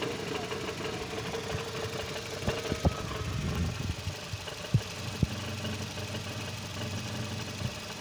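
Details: 2010 Nissan Sentra B16, manual transmission: quiet idle broken by sharp irregular knocks and a loose rattle from the bellhousing; damaged dual-mass flywheel.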